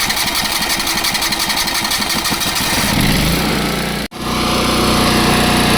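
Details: Small petrol engine on an abandoned crane trailer parked many years, started on jump box with choke on: quick, fairly even beat picking up speed and settling smoothly while it warms, normal running on choke.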